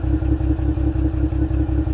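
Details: 2025 Ram 1500 Rebel, twin-turbo inline-6 SST standard output (420 hp), 2,500 miles, broke down with multiple codes: steady idle at the tailpipe with a regular lumpy stumble about five times a second. Intermittent misfire, with heavy condensation from the tailpipe.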